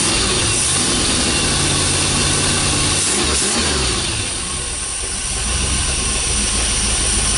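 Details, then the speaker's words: 440 big-block Mopar engine, first start in 23 years, run off the car: steady, even V8 idle at about four beats a second with no knocks or misses; runs well. "runs pretty good so we're gonna leave it here for Jerry to strip apart"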